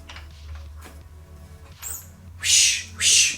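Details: Engine under teardown for a head swap, blower being removed; two short rushing hisses with a faint whistle before them as air is sucked through the throttle body.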